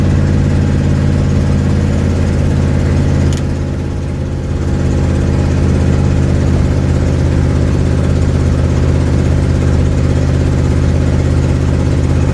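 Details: 1972 Ford Mustang driving home, phone mounted in the dash, leak not yet fixed: deep, loud rumble while cruising with a brief dip in load, and a coarse, puffing exhaust note. Exhaust leak.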